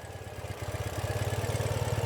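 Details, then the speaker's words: 2014 Ural Patrol 2WD sidecar boxer twin idling cold on a winter day, not warmed up, after EFI service with valve check and throttle body sync: steady even thumping about fourteen beats a second, no misses or knocks. "Idles super nice. It is pretty cold today. It's a winter New England day. And it isn't really warmed up."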